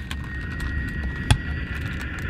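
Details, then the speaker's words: Toyota Highlander while driving; a chassis-ear listening device pinpoints a steady high whine from the worn rear differential rather than the axle bearings, with the whine louder on both sides of the differential. "and lo and behold I can hear it whining a lot louder when it's on number three and I'll switch it to number four and number four is whining even louder listen to this"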